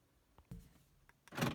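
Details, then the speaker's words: 2002 BMW 330i E46 with a 315 MHz diamond key fob, after a battery replacement and reprogramming via ignition on-off and holding the button 3 seconds. Two quick clunks in a quiet cabin as the central locks cycle, confirming the programming worked. "we hold this button here, and 1, 2, 3, let go, and did you hear that? It programmed."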